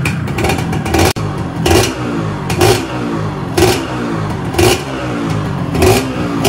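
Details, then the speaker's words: Freshly reassembled Yamaha 125Z two-stroke, cylinder 25 oversize, first run being revved in bursts; earlier noise now gone, but a faint light rattle on the blips: slight piston noise. "Nah, ini ada bunyi dari piston, teman-teman, dikit. Ini kalau realnya dikit ya."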